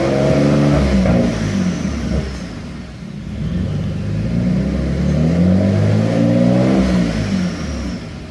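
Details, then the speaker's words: Mitsubishi 3000GT-type (Stealth) after no-start repair: revs up and falls back twice, climb slightly uneven near top; fuel drop-off/hesitation, cause unknown, check engine light on but goes off when revved; owner wonders about junk in fuel tank. "and it has a little bit of a fuel cell drop-off I'm not sure what's going on with that"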